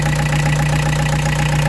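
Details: Peugeot 205 TD diesel with newly fitted Motorpal 4M injection pump: steady, even idle with strong low hum, no knocks or misses; normal idle, injection pump running smoothly.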